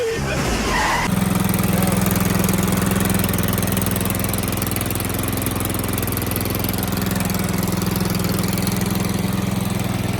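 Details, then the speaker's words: Toro Z4200 TimeCutter 54-inch zero turn mower, flooded in Hurricane Irma, parked about 2 years, revived with fuel and charged battery: catches after brief cranking, settles into steady, even low drone, no misses or knocks; running normally. "There you have it, she's running. Telling you, doesn't take much to get these old mowers going."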